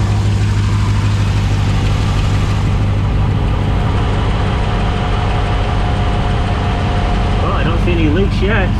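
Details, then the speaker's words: 2020 Dodge Charger Hemi V8 at 38,128 miles, idling after an oil and filter change with the oil about two quarts low, checked for leaks: a deep, even low rumble with no knocks or ticks. Idle is normal. "that's a good sign definitely sounds like a Hemi actually sounds like a hit"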